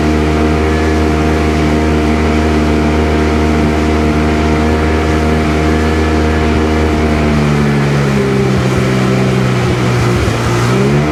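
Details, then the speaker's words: Sea-Doo GTX DI 951 two-stroke lake test after new solenoid and hard line installed, idling around 1450 rpm: smooth even drone at steady revs then easing down cleanly, no skipping; running way better. "Oh yeah, way better. I think we got her."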